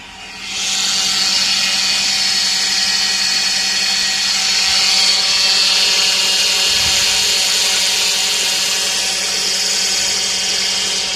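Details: Power steering pump producing a loud, steady high whine over the engine, typical of a low fluid level; the fix is to top up the fluid to the correct level.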